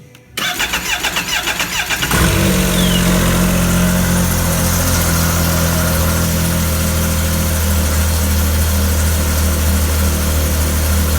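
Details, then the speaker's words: Arctic Cat 7000 with the Yamaha 1049cc triple, about 12,000 miles, cold start after a valve adjustment; before, it stalled after 5–6 seconds. It cranks, catches in about two seconds and settles to a smooth, steady 1500 rpm idle; normal, with a different sound. "Good sign so far. It would have stalled by now. It's idling at 1500 RPM, right where it should be. Actually, the motor even has a different sound."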